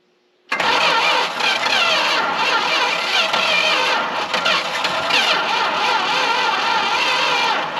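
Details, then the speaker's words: Long-sitting Dodge W300 4x4 dump truck, battery charged after slow cranking; steady cranking whir with occasional catching puffs, never running; owner suspects weak battery or a hose-clamped wire, unconfirmed. "i'm going to throw the battery on the charger for a little bit and see if that helps because it's cranking pretty slow"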